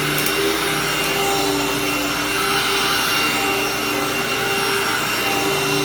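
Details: Hoover-branded upright vacuum: steady high-pitched motor roar with constant airy hiss, no rattles or pitch wobble; nothing broken, held up well, runs normally but loud.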